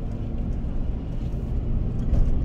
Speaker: pay attention to the noise you hear that noise now watch goes away comes back goes away comes back goes away